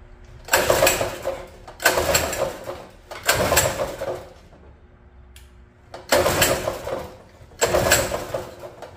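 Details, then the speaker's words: Free mini bike, sat an unknown time, fuel valve tabs broken: pull-cranking about every two seconds with no catch; owner suspected a fuel supply issue, and good fuel flowed, but the carburetor float bowl appeared to be full of water. "maybe guys it just appears that I have a fuel supply issue here"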